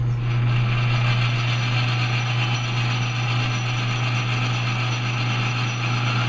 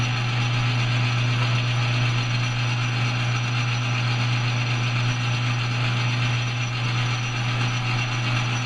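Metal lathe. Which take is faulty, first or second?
first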